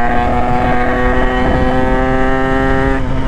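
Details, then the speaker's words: 2017 Derbi Senda two-stroke with a 70cc cylinder kit; loud, raspy exhaust drone, worse than before; owner suspects the muffler's rock wool packing has worn out. "Elle fait du bruit, pire qu'avant. À mon avis, c'est la laine de roche, elle a dû prendre un vrai coup."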